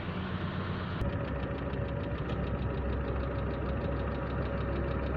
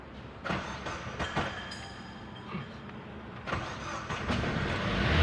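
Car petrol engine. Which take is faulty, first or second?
second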